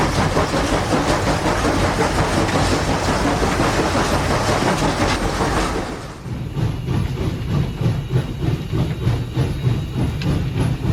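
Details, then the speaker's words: SoundTraxx-equipped model steam locomotive at speed step 15, with dynamic exhaust: even chuffs at about three per second over wheel clatter, four per wheel revolution. Normal, well-timed steam locomotive exhaust. "So you can start to hear that 4-chuff pattern. Chuff, chuff, chuff, chuff. It's a very distinct pattern, and it is something that is very evident on steam locomotives,"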